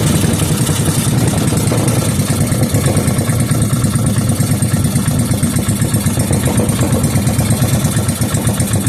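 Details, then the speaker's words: Rebuilt 5hp Briggs and Stratton single, fuel added to cylinder and carburetor, no muffler: loud, rapid, even popping straight from the exhaust port at steady speed; runs cleanly, then shut off with the kill wire. "What do you know? She's running. I used the kill wire to shut it off."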